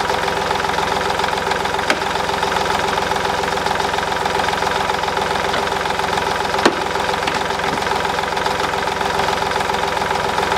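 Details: 2010 Smart Fortwo 451, 0.8 turbodiesel, 119,000 km, just after a fuel filter change (MAHLE KL-165/1): a steady, even diesel clatter at idle with no hunting, misfire or stumble; runs smoothly with no air in the fuel system.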